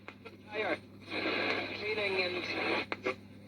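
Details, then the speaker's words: Radio on medium wave with the aerial pulled out; faint station audio over hiss and a low mains hum as regional BBC medium-wave transmitters are mostly off air; set is sensitive, normal medium wave reception. "Of course, medium wave has gotten a lot quieter lately. Most of the regional and local BBC medium wave transmitters have been knocked off now."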